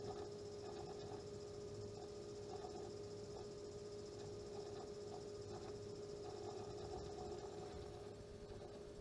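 A steady high whine sits over a rough, chattering grind with faint irregular chirps; the cooler pump is grinding, cause unclear.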